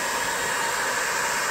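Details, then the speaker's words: 20 W diode laser engraver module with a top-mounted cooling fan that runs continuously, before the noise-reduction mod. A constant harsh airy hiss with a shrill whine on top; the fan is loud and high-pitched. "the fan is continuously on so when you turn it on you get this noise"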